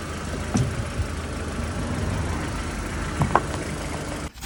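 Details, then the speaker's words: 1970 early T2 Bay Window VW campervan, reinstalled engine, firing order triple-checked: starter churns steadily several seconds without catching before being cut. A cable pulled out of its homemade wrap and shorted, melting plastic with burning smell near the battery. "there's a cable come out it's come out as Welly okay so it's shorted out"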